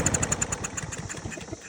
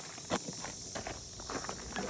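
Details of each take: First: Briggs & Stratton EX 675 Yard Force mower, test-started with the air filter removed: it pops into life with an uneven chug, then dies within two seconds. This rules out the filter; a dirty carburetor is suspected. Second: Briggs & Stratton EX 675 mower engine that started then stalled: small single-cylinder catches after a few tries, then settles into smooth steady even beat with no misses; runs clean.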